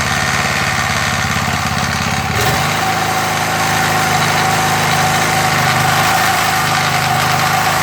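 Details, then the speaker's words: MTD edger with 3.5 hp Briggs engine, long-sitting non-runner after repair, revs brought up after starting: single-cylinder putters evenly, then picks up speed and holds a steady smooth note without surging or missing; normal running. "I'd say that's good, guys."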